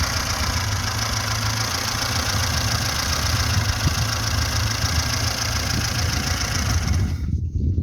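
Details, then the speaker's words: VAZ-2106 with a fully rebuilt engine, just started, revved near the exhaust: steady, even note with a smooth rev, no knocks or misses, runs quietly, no smoke from exhaust or breather; healthy engine. "ходімте тепер до вихлопної диму нема автомобіль працює тихо набираємо"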